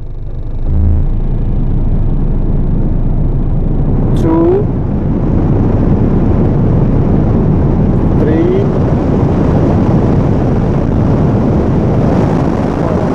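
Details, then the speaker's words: Hyundai Tiburon heater/A/C blower motor running normally, owner checking an intermittent blower that randomly stops (suspects relay, resistor or loose/corroded wire); steady even rush of air with low motor hum, no cutting out. "now it is on we froze on the windshield and then it's off and it's all hot or heat so you will hear the sound if it works"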